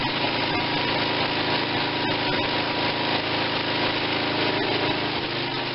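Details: Tecumseh 5.5 hp engine bought with a stuck valve and no compression, on choke: a fast, busy chatter holding steady speed with no misses or knocks, running smooth; carburetor seems fine; normal running.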